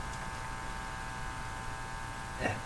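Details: Hallicrafters TW2000 communications receiver: a steady low electrical hum in the audio, ending in a click and surge, while probing around the volume control. The hum source is not yet found.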